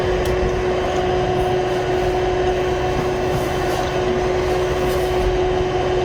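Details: Tandy 2500 XL computer with the hard drive removed so only the original case fan runs: steady, loud fan whoosh with a fixed hum note, no ticks or knocks; the fan alone is surprisingly loud.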